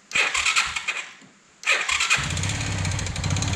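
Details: Kawasaki Bayou 220 ATV after rewiring the electric start: short starter whir, a pause, then a second crank catching quickly into a steady, even idle in neutral; clean normal electric start.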